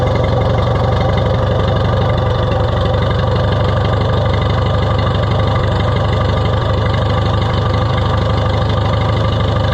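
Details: Oliver 66 tractor engine running again after repairs and a new gasket: a steady, even low idle with a constant beat and no misses, knocks or surging.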